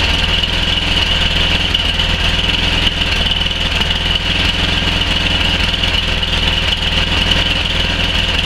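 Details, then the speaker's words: 11 hp Tecumseh Snow King on Murray Select snowblower after the fix, still slightly cold: fairly even buzzy low-throttle idle, no surging or dying where before it died below half throttle; steady idle. "I'd say that's job done it wouldn't even idle before it did there at the end"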